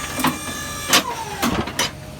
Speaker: You can sort of hear the clunk of the pins. These coupler pins are what pop into those holes on the mount.